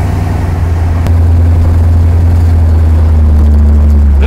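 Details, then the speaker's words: 1979 Chevrolet Camaro with a new 350 engine on its first drive, cold start with no choke, new fuel pump, carburetor at stock settings, automatic shifting: a strong, steady low rumble that picks up smoothly under load with no knocks or misses. "the motor just sound a million times better than it used to"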